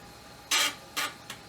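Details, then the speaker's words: Amiga 1200 floppy drive at power-on after freeing its seized head motor. Short buzzy stepping bursts with pauses as the head seeks back to track zero normally. "well that worked [Music] the motor was seized wow i guess if something sits for long enough things like that will happen"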